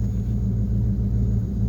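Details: 1973 Ford LTD, 460 4V big-block V8, low compression, almost 85,000 miles, started in winter after sitting 2–3 months: deep, steady low rumble with an even beat and no top-end rattle, a normal idle.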